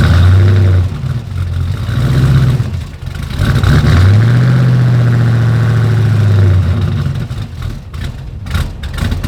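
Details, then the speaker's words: 1940 Ford truck after replacing damaged headers with new ceramic block-hugger headers: deep steady rumble rising and falling gently with throttle, no ticking or puffing; exhaust sealed and quiet. "Everything's all sealed up now. Sounds good, nice and quiet, or at least as quiet as this truck gets."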